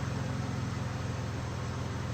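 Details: 2015 Dodge Grand Caravan 3.6 L, after repair of rough running with P0303 cylinder 3 misfire and P219A bank 1 air-fuel imbalance, fuel trims back near zero: steady, even low hum with no stumbles or skips; smooth, healthy idle.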